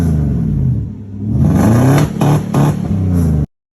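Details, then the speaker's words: 1995 Mercedes S500 W140 V8, warmed up, idling unevenly with stumbling dips and surges like a two-step; misfire, distributor caps and rotors to be pulled and cleaned. "I let it warm up and it's kind of running like garbage but it sounds like a two-step"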